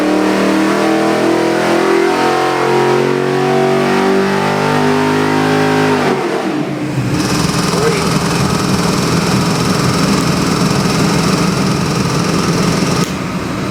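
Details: Chevy LS7 441ci crate V8 on dyno (Dart SHP block, forged Eagle rotating assembly, Comp custom cam, Holley Sniper EFI, Terminator X, ~700hp/650lb-ft): revs rise and fall, then settle into smooth deep even idle; healthy.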